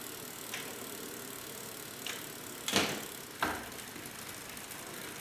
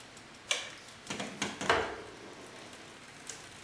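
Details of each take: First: everything sounds good there's no way to change come on top of it Second: Bicycle front derailleur during limit-screw adjustment: a few faint, irregular light ticks as the cranks turn, the chain just touching the derailleur cage; limit screw turned further and the noise is gone.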